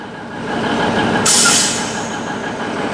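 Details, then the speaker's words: 1971 Autocar A64F truck at low idle with a temporary fitting, after pressurising (previously too little air): switch flipped, a sharp one-second hiss fades as the air brakes release. "Okay, so I figured it out. I didn't have enough air before, so now if I flip it,"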